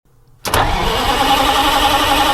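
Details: Detroit Diesel 8V-71 with newly installed replacement starter (part 6924N), fed by an extended 400 amp copper bus: starter engages sharply, then turns the engine over with a steady, even drone, no grinding or chatter; healthy cranking.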